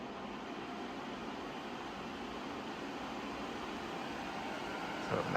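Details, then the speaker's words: Dyson Purifier Hot+Cool Formaldehyde HP09, second unit: smooth, even rush of air building as fan speed rises, no high motor whine unlike the faulty first unit; healthy fan. "Right, as it gets louder, we are hearing the wind, or the fan, but we're not hearing the motor like in the other one. So it's much more pleasant."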